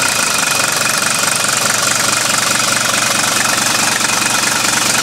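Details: Mercedes W123 300D diesel idling in the dark, recorded from outside: steady idle with even rapid clatter and a faint knock about three times a second, barely audible from outside.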